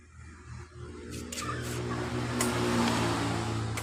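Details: Yamaha Mio Sporty scooter that was electrically dead, after the fault at the ignition key socket wire connection was repaired, running off a temporary fuel bottle: a faint, even low putter at steady idle with no stumbles or knocks, a normal idle.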